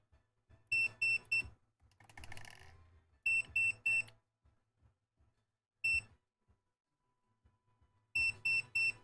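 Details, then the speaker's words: Three sharp high beeps repeating every couple of seconds at power-on, from a device being wired to drive a CPAP fan from Klipper on a 3D printer; cause unknown, something's off. "so the one thing that this thing is doing is it's beeping when I turn it on because something's off"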